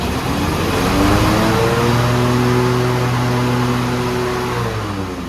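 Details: Toro Z Master zero-turn mower just after a faulty ignition switch was replaced: engine picks up and holds a smooth, even drone, easing slightly near the end, no misses or knocks; normal running.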